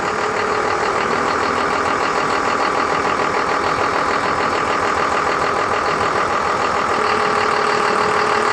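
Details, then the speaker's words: 12-valve Cummins diesel with P-pump and Allison automatic in a junkyard trolley: even steady diesel clatter at constant idle with no misses or knocks; sounds healthy. "where's right up and it sounds pretty good we'll go in here"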